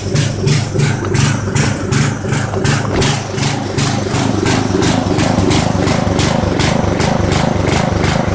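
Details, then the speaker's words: Poulan 900 rototiller small engine, oil dripping from the carburetor airbox: pulsing, uneven chug at nearly three beats a second that surges and sags; runs rough, suspected oil-soaked air filter starving it of air. "yep I'm gonna claim that this oil coming out of this air filter is the reason that we're having this issue with running we're not getting enough air in it"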